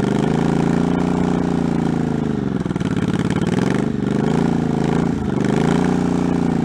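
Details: 1984 Honda Shadow VT700C, first start after 7 years sitting and a full rebuild incl. carburetors, started with starting fluid: V-twin fires and keeps running, revs sagging and recovering unevenly; catching but needing tuning, tachometer not working.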